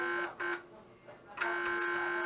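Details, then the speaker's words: Fake Casio SA-21 keyboard made by Huaxin, opened for circuit bending: now gives only a flat electronic buzz from the speaker. The owner suspects he shorted something and broke a CPU pin. "Probably what I did was I shorted out something. It shouldn't be shorted out, now the thing is broke. Because you hear it make some humming noise."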